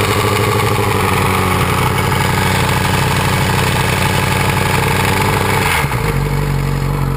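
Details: 2006 Yamaha R6 after a highside crash: clattery metallic chatter at high revs, also at cold-start idle and louder at higher rpm even when hot, fading back at idle; cam chain tensioner spring not seating, giving loose chain, confirmed by rebuild.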